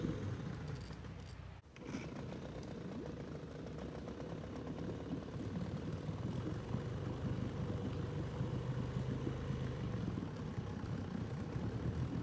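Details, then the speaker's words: Outboard on an abandoned jon boat, sat over winter and unknown if it ran, first start attempt in water: steady two-stroke buzz, slightly uneven but continuous beat, no misses or knocks; runs healthy, better than expected. "I worked out a lot better than I expected this thing comes good awesome that was a lot easier than I expected"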